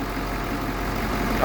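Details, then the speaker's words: 2014 Ford F550 6.7 Powerstroke diesel at idle after replacing the fan clutch: smooth, even idle with the earlier grinding gone; sounds normal. "Now I'll try to crank it up and see what happens. Alright, no more grinding."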